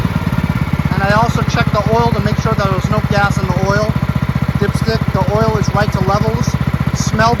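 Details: Marching band hauler single-cylinder engine after carburetor cleaned of red residue and fuel lines, filter and shut-off replaced, on/off flooding test; steady unbroken putter, no stumbling or misses; normal running.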